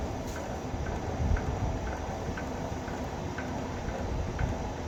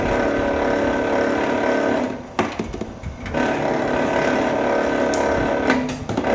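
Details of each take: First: Vevor wire stripper running THHN wire: low motor rumble with light, fairly even ticks about every half second as wire feeds; chatter would mean setting too tight; normal operation. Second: Vevor wire stripper feeding cable: uneven rapid chatter about four hits a second over the machine hum, meaning the blade is set too tight; fix by moving to the next hole or adjusting spring tension.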